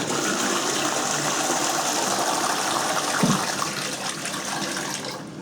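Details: Newly installed Kohler K6299 wall-hung toilet on a K6284 carrier, high-flow flush (left button): a strong, full rush of water that tails off cleanly after about five seconds, a healthy flush.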